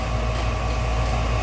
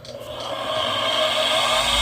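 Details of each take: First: Furnace inducer motor, previously screaming, in a dusty basement: smooth, steady low hum with even tone, no scream or rattle; inducer running quietly and healthy. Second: Newer Duquesne furnace inducer motor, jumped out with manometer attached, still pulling good water column: spins up into a loud, steady high-pitched scream with rough grinding; suspected dust from basement renovation in the bearings, internal motor fault.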